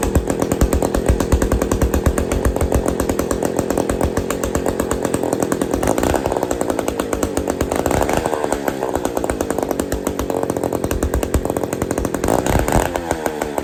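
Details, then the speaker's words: Old Bolens gear-drive two-stroke chainsaw, never heard running before, runs for the first time without choke and with no kill switch fitted: crisp, fast, steady buzz with slight rises and falls, firing clean and even; normal running. "go here woohooo we got we got a saw that runs"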